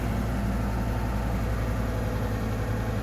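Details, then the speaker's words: 1994 Acura Vigor GS at idle after exhaust pipe replacement, heard from underneath the car; smooth, quiet low idle with even exhaust note, no puffing or ticking; exhaust sealed, normal idle. "nice and quiet right you guys don't hear it anything sound like there's any holes right so that's from underneath the car"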